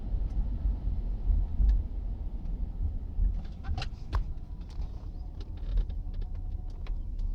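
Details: Oldsmobile 88: a few sharp clicks and rattles cluster around a gear shift over a quiet drone, loose part suspected in the passenger seat-belt or floor area, source not yet found.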